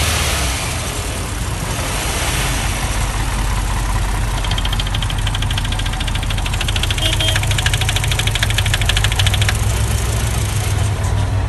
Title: стук двигателя passat b5 atw